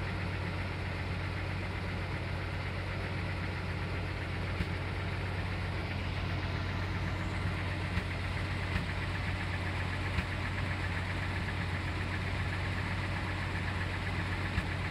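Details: Full-size Jeep at idle: uneven lope with occasional dropped beats and pops roughly once a second; misfire from ash-fouled spark plug in cylinder 6, likely caused by a bad valve seal.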